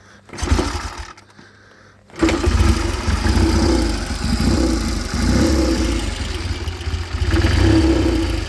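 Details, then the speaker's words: Triumph 3TA 350 ex-Dutch army project bike, cold start: catches after a cough, then uneven idle with a loose metallic rattle from the fuel tank, which is not bolted on, just resting on the frame. "And that rattling, if you can hear it, is actually the fuel tank. Switch her off. So yeah, the rattling that you probably just heard there's a fuel tank, because it's not actually bolted on yet."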